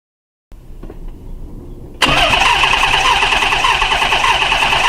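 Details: 1990 Nissan 300ZX that bogged down and died after a coolant and heater core flush and 15 minutes of running. Compression and spark tested good. Starter cranks at a quick, steady rhythm but it never fires; owner suspects a loose sensor, the crank angle sensor or fuel.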